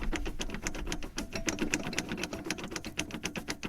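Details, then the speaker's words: Front-wheel-drive car on jack, drive shaft rocked by hand: rapid uneven clacking about four times a second from the gearbox, not clutch; small but growing differential backlash causing knocks on pull-off, braking and shifting. "это еще так сказать небольшой люфт но он быстро увеличится все это потом будет разбивать вот это уже плохо это дифференциал"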